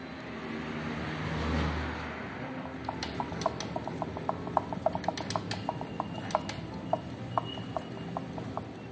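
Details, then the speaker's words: Honda Biz 100 motorcycle engine opened, crankshaft rocked by hand: sharp metallic clicks about three a second; suspected piston and connecting rod play. "você consegue ouvir a impressão que eu tenho que o sol está vindo daqui ó então tô achando que é pistão com a biela folga pistão com a biela"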